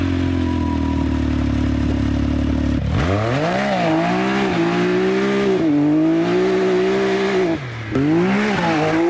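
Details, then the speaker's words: Rebuilt 2019 Can-Am Maverick X3 Turbo with new Yoshimura exhaust but stock catalytic converter, revved while driving: steady drone rising and falling with throttle, small pops on lift-off, only slightly louder than stock. "oh yeah all right so it does sound a little bit better and it pops a little bit which I really like but I expected a lot more from this Yoshimura exhaust"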